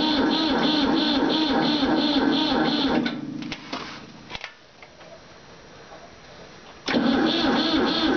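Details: Ford 4000 Select-O-Speed tractor: steady cranking pulses, about three and a half a second, stop then resume unchanged; engine turns over but never fires.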